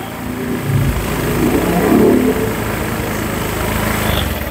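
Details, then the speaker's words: Honda Vario 150 after engine rebuild for overheating, coolant loss, rough noise and oil loss: idling after refilling oil and radiator, checking coolant circulation and boiling. Steady even idle, no knock or rattle; runs smooth, normal idle. "Oke teman-teman jadi kalau air sudah masuk kita hidupkan ya tunggu beberapa menit ya kan air sampai turun ya kan sambil dicek dia mendidih atau apa nyembur enggak gitu"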